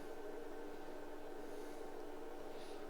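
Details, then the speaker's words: IBM PC/XT Model 5160 booting from its hard drive with drive controllers installed: a steady low hum with faint even pulsing as the drive works during memory and floppy checks. Normal hard drive operation. "Sounds like the hard drive was doing something."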